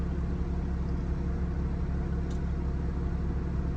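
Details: Country Coach diesel motorhome after new water pump, thermostat and alternator belt, warming toward 180; a pop heard on a hill and suspected turbo boost leak: smooth constant low idle, even beat, no knocks, squeals or rattles; normal idle.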